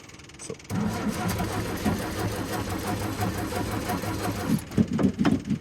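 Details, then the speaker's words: Classic carbureted car on first start attempt, fuel pump heard running: starter churns steadily at about four turns a second but never catches; cranks, no start, owner suspects carb needs priming. "cranking. Come on. Okay, fuel pump is cranking just fine. I might have to prime the carb a little bit."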